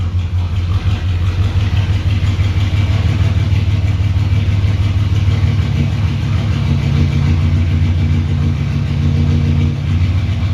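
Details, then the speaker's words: 1998 Vortec V8 after spider injector replacement: deep, steady low rumble holding an even idle for ten seconds with no misses or stumbles; sounds like it's running better. "so sounds like it's running better"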